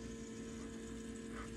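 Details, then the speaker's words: Land Rover Defender TD5 after fuel filter change, ignition on without starting and accelerator pumped five times: electric lift pump hums steadily at fixed pitch, pushing air through the fuel circuit to prime it; normal priming. "so you can hear the pumper in probably hear the air running as well so what it's doing is putting it through the through the circuit priming it back up and it should stop I think there's about a 30 second run on it"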